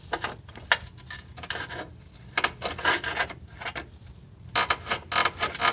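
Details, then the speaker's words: Car whose noise occurs when braking to a stop: dry, irregular creaking and rubbing bursts as a pry tool levers the lower control arm, engine off; the brakes are fine, and a torn, separated lower control arm bushing makes the noise. "look at the bushing on that little control arm it is torn and look at this bushing right here it is separated so if we grab a prying tool that's the noise we are hearing"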